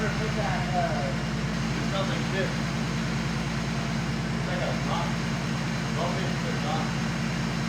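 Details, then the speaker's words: Turbo BMW E36 after an engine-bay fire while drifting, started after the ECU was repaired and refitted: steady, evenly paced idle with no skipped beats, all cylinders firing cleanly; normal idle. "it's been a couple days but uh the E36 now starts"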